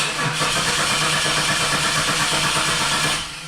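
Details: 2001 Chevy Camaro, about 90,000 miles, stalled at a store and now won't start: starter turns the engine briskly and evenly for about three seconds but it never fires; no fuel at the Schrader valve.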